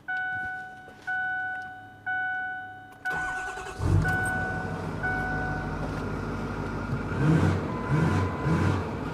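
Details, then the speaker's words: Newly bought older Ford service truck, engine looks clean, starts easily (also started right up at about 30 degrees): warning chimes, brief crank, catches quickly into a steady, even idle with no knocks; normal cold start and idle. "so don't sound too bad it starts up easy"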